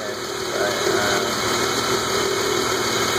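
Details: BMW E36 M3 petrol engine idling evenly, with a light, loose ticking over the hum: lifter tick.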